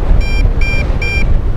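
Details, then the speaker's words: MJX Bugs 2W GPS FPV drone on a full-throttle range test: three quick high beeps over wind rumble are the controller's normal low-signal warning as the drone flies far away, about 200–270 feet or meters out at 44 ft height. "the low signal beep well that's cool they're showing us on the controller of the distance you see that"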